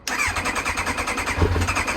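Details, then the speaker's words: Kawasaki Ninja ZX9R, sat outdoors over 4 years, fuel system dry: engine cranks then catches into rapid uneven firing only after easy-start spray into air intakes; starts only with starting fluid, fuel leak found afterwards. "I'm going to try some easy start spray probably just spray it into the air vents just a couple let's see if that makes any difference"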